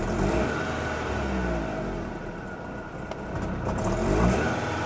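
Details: BMW E46 that stalls since purchase, before fuel pump replacement (new crankshaft sensor and pump bought on mechanic's advice): engine lags on throttle blip, revs sag and nearly die, reacting very late.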